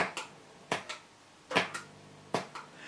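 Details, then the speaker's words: Mesa Boogie Triple Rectifier amp switching channels: sharp, irregular pops in pairs about once a second in a quiet room; channel switching pop. "now you can hear them slight pops i hope in the background"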